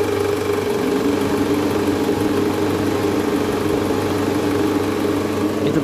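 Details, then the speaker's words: Toyota Alphard, about 90,000 km, cold engine idling in reverse: faint regular knocking and vibration under the engine hum; worn, loose or broken balancer shaft most likely suspected, to be confirmed by removing it. "ya cukup indikasi kemungkinan besar yang menyebabkan bunyi abnormal tersebut itu dari balancer sasaknya yang udah aus bisa oblak bisa hancur"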